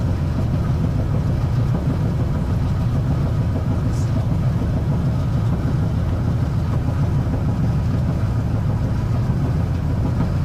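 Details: Gas dryer that wasn't heating, after clearing a spider web from the gas pipe and burner tip and blowing out dust: steady low roar and constant rumble with no sputter or pulsing, flame now much stronger than before.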